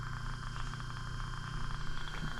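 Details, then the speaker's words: Two-pipe fan coil unit blower motor test-run on high speed after fitting a new 5 microfarad capacitor: smooth even low hum with steady high whir, no rubbing or rattles; healthy. "Tell that it's running. It's hard to see in the video, but it's running."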